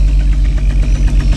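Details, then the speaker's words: 1988 Jaguar XJ S3 V12 first start after 7 years, fuel changeover valve bypassed, cold start sensor suspected faulty: low rumbling idle with irregular pops on the left bank; misfire, cause not yet found. "popping on the uh Bank B is it on Bank a I don't know on the Left Bank"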